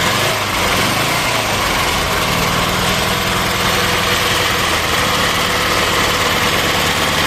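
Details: Old Ukrainian air-cooled car, first start after standing several years, fuel primed and choke on a wire: steady, even buzzy run with no knocks or misses; engine starts and runs fine, then drives.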